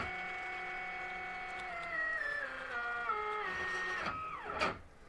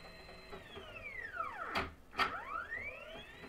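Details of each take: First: DIY Faraday coil winder with geared stepper spindle on cheap GRBL v1.1 board and driver, spindle run fast while X axis moves slowly; whining tone drops, sweeps and collapses into rough buzz, spindle stepper stalls, blamed on spindle and motor driver. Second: DIY Faraday coil winder, geared stepper spindle under GRBL v1.1 in G1 mode, sped up winding 421 turns on a power transformer layer; stepper tone sweeps smoothly up and back down without stutter or grinding, normal operation.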